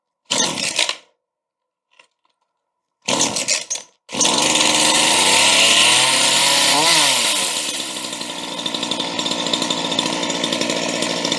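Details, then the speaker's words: Used chainsaw started on full choke after several primes, freshly refuelled after running out of gas, chain very loose: catches after a few bursts and settles into a steady, even idle with the chain holding still. "the chain is very loose on this one but she's still sitting still when she idles and it takes off really good when you rub it up"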